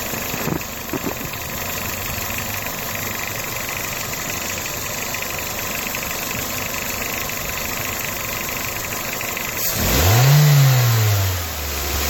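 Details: 2007 Toyota Corolla LE engine at idle with a steady light ticking, about three or four per second, then a quick rev; owner suspects a belt, cause not confirmed.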